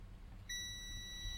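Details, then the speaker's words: Continuity test on the controller board of a Giatsu 3DDC mini split air conditioner (error F4, fans run but no heating or cooling): a clean, steady beep, meaning a connection is present from an AC input through a resistor. "okay you can hear it now bleeping and it's reading okay so that's one of the AC inputs via this resistor"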